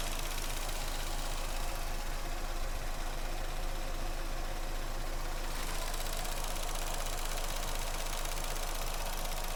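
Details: Vauxhall Astra that had a cylinder 2 misfire from a broken coil pack. After the coil pack was replaced, it holds a smooth, steady idle with an even beat and no stumbles; no misfire.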